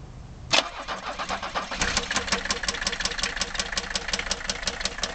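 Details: Mercedes W123 300TD wagon, OM617.952 turbo diesel, warm, with no glow plugs connected. After a rough start, a sharp, even knock of nearly three per second rides over the idle. Teardown confirmed rod knock, with the bearing surfaces gone.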